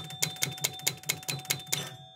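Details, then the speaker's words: Gottlieb 1975 Spirit of 76 electromechanical pinball, player-one score reels stepped via relays: eight crisp evenly spaced clacks about five per second with faint ring, reels step and carry over cleanly; gummed reel needs cleaning but works normally. "hopefully you can see the score reels increment so now I'll move to the hundreds reel do it 10 times which should increment the Thousand"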